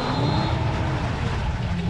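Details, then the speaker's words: Solar electric boat with a DC motor, propeller changed from left- to right-turning, running in reverse: a heavy low rumble with a faint hum, noticeable vibration and little power. "hear the vibrations ooh I feel that you can see it doesn't have any power"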